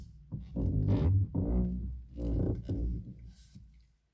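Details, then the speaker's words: 2011 Lada Priora, loud low moaning squeak in short bursts when turning the steering wheel; owner suspects the electric power steering or the steering rack. "вот кондиционер доказать что меня и при поворотах не сдается такой неприятный скрип очень громкие и неприятны"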